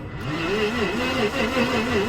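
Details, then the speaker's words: 1988 Jaguar XJ6 after new crank angle sensor and 15 litres of fresh fuel, fuel line primed: starter churns with steady compression rise and fall but never catches, tachometer not moving, no spark. "Doesn't sound right. And look, the tacho's not moving either. That means we've got no spark."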